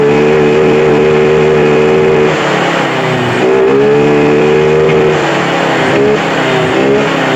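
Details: Honda Vario 125 held at high rpm: the buzzing note sags twice, then picks back up. It is hesitating at top revs; a sensor problem is suspected, not confirmed.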